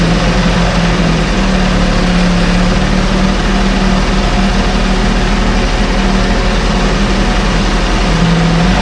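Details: 1968 Evinrude Fastwin twin outboard, 52 years old, run in a test tank with no work done; smooth, even low burble with steady beat, no misses or knocks; normal idle.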